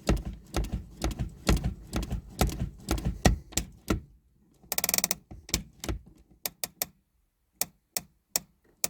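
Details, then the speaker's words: Toyota Hilux Surf gen 3 with new rear drum brakes, after setting the rear adjusters to a gap just under 1 mm: lever still pulls seven to nine-plus uneven ratchet clicks, and the handbrake remains too slack. "seven nine i can go a bit more which is strange"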